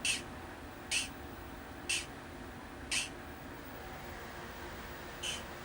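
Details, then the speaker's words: 1980 Midway Space Encounters arcade game: player shot sound faintly leaking through as short hissy zaps about once a second over quiet hiss when it should be silent; soundboard fault or test setup suspected. "all right you can faintly hear the player shot sound"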